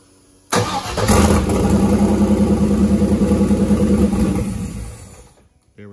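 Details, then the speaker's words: Turbo GM LS V8 in a caravan, first start on a freshly unlocked speed-density tune with air still in the fuel lines: cranks, catches, runs lumpy and dies; 70 lb/hr injectors are set as 25 lb/hr in the tune; rough start from overfueling, heavy smoke. "oh wait i forgot to update the injector data again it thinks it has 25 pound per hour injectors in it it actually has 70 pound per hour injectors in it"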